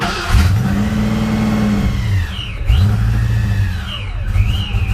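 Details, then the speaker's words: Supercharged Fox-body Ford Mustang on its first start after work, idle air control unplugged but connected: engine barely holds idle, surging and sagging and popping out the intake. Owner suspected vacuum or idle air control. "I'm wondering if it's vacuum or if it's idle air control having an issue. Yeah, it's popping and doing all kinds of fun stuff."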